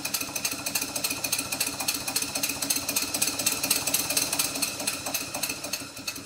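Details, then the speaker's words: Rebuilt Stuart Twin Victoria model steam engine, still stiff and running in, at low speed: light, fast, even ticking, three or four a second, from play at the connecting-rod fork on the crosshead and big-end side play on the crankpin. "the slight knock that you can hear is playing the connecting rod Fork on the cross head and also side play in the big end of the connecting rod on the crank pin"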